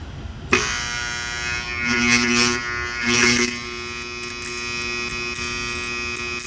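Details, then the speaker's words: Starter armature on a growler, intentionally shorted with a screw: steady loud electrical buzz with strong tone held for seconds, what a shorted armature sounds like. "that's what a bad one sounds like"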